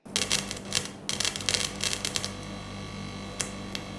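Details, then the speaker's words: Computer audio output with 3.5 mm speaker plug: sharp crackling bursts over a steady low hum as the plug's metal parts contact the output port, ground noise buzz before adding an audio isolator. "now when I insert the plug into the audio output port and the metal parts of the plug make contact you'll hear that same electrical noise it's very unpleasant have a listen"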